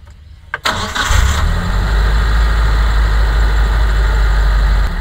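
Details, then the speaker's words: 2010 Mitsubishi T120SS pickup, cold start: a quick crank, then it settles into a steady, even idle that drops to about 900 rpm (spec 900–1000) with no misses or limping; engine normal and healthy. "Ini udah kita starter dan kita dengerin suaranya ini lama-lama rpmnya turun di RPM 900 ya memang eh standar stasionernya itu di RPM 1000 sampai s e 900 sampai 1000 ya"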